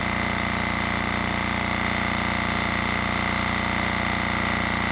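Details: Generac XD5000e diesel generator with Yanmar L100 engine, long used at sea on a tug boat, previously stopped running with weak-feeling compression; now steady, even diesel clatter at constant speed with a firm low drone, no misses or surges; running normally.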